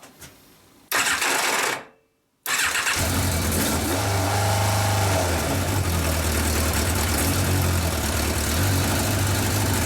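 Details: Yamaha 1200 FJ café racer on final start-up: catches after a couple of cranks and settles into a steady, even idle with a smooth low hum. It starts well and holds idle.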